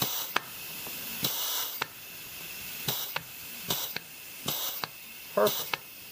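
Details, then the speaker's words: 200-R4 automatic transmission rebuild for a 1932 Ford, clutch assembly air pressure check before installation: short air hiss bursts each with a crisp piston thump; clutch applies cleanly and holds, normal. "okay I'll get the air pressure check done here once again and of course will air pressure check it once it's inside the transmission"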